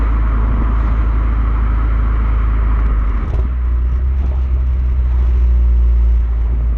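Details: Renault Megane R26 230 F1 with the known "Megane cough": a deep steady engine drone with a brief stumble and dip, then recovery. Injectors were already changed but the cough remains; owner suspects an injector fault or misfire.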